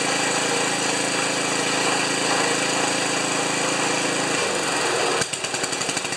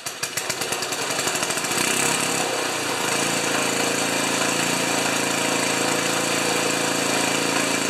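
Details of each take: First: Ariens 2+2 snowblower small engine, after replacing the ignition coil on spec (it stalled after half an hour): fast, steady rattling engine note holding even for four seconds, then dies away; runs normally. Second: Ariens 2+2 snowblower small engine with a new coil, which reportedly quit after half an hour: catches after a few sputters, then a busy, slightly lumpy idle; idle mixture judged to need leaning out about a third of a turn.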